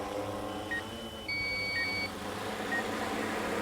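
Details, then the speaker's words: DJI M300 RTK drone flying close to a building and pole: short high beeps and tones over steady rotor hum are the obstacle-avoidance system's audible proximity alarms. "we're gonna get close enough that the that the obstacle avoidance is going to see the building it'll start giving giving us audible alarms should see the pole as soon as you get close to it"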